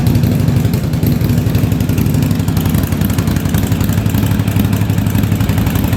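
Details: 1983 Yamaha Virago 920 barn-find V-twin, first idle after a spark plug was replaced, with fuel leaking. Lumpy thumping at idle with beats dropping out about four times a second; the front cylinder misfires intermittently, and the owner suspects fuel.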